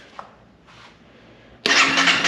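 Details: 2011 Honda CBR250R, 7,500 miles, long-stored, about half a gallon of fuel: starter spins hard briefly, fuel pump heard priming, never catches; crank no start, suspected clogged fuel injector.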